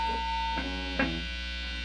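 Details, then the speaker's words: Homemade Vox AC30 amp build with intermittent crackles and pops (volume pot suspected): a constant low buzzing hum with a fizzy edge; owner suspects the heater wires, plans to redo the heater wiring, cause unconfirmed. "I think a lot of the hum is just being magnified anyways a lot of hum coming from these heater wires"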